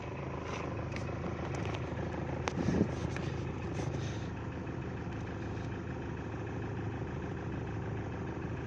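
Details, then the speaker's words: Mahindra Scorpio idling with light irregular plastic clicks and buzzes from inside the dashboard that stop when the part is held; loose dashboard panel rattle. "कि यह song यह हिस्सा loose है इसे पूरा खोलकर मैं फिक्स कर दूं"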